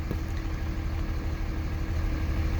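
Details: Cummins diesel truck idling with a deep, uneven, lumpy beat; owner first suspected bad injectors, but cause turned out to be a loose fan clutch electrical connector.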